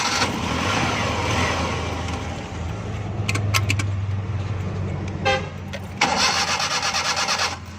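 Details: Suzuki Bolan that cut out while driving, after a temporary wiring fix touching a wire to the positive supply. The engine catches and settles into an even low hum with a couple of blips; it starts and runs normally.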